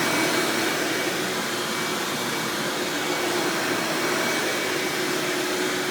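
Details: 1997 Hoover Dirt Finder Power Drive self-propelled upright vacuum, model U6331-930, Elite style, running: smooth steady whoosh with constant mid-pitched motor hum, no rattles or grinding; exceptionally smooth, surprisingly quiet, normal running.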